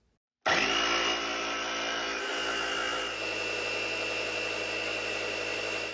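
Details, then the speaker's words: Old Craftsman 3-gallon air compressor after rebuilding broken regulator and brass fittings, sealant cured a week; plugged in to pressurize the tank to 100 PSI. Motor settles into a steady even hum with high whine, no audible air leak: normal running. "So I'm gonna plug this in and turn it on and pressurize the tank, and then I'm gonna check it for leaks."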